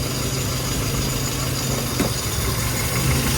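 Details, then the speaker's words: Classic car engine at a steady, slightly lazy low idle with a dull, muffled exhaust note and no knocks. Only 2 degrees of timing at idle and 18 total, from the wrong advance curve. Retarded timing; plan is to add timing rather than fit a new distributor. "So what that basically means is got 2 degrees while it's idling, alright?"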